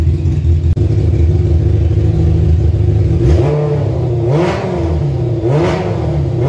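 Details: Kawasaki ZZR 1100 engine swapped into a Fiat Panda 750 Fire, during engine tests: steady, even idle, then several quick clean throttle blips rising and falling smoothly. Revs freely and healthy.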